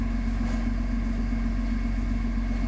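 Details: Backhoe excavator diesel after fault codes cleared and fuel-system work (operator reported low power and smoke under load): steady low rumble at idle, even with no misfire or knock; no fault code returned on rescan, normal idle.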